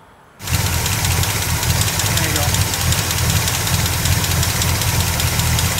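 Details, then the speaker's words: 1977 Chevy C10 V8 after replacing broken rocker arm and pushrod: catches into uneven lumpy idle with stumbling beat like a dead cylinder; running rough like a misfire, owner suspects damaged valve. "we got it running again but we still think there's an issue it it's running rough almost like a misfire and we think we quite possibly may have a damaged valve"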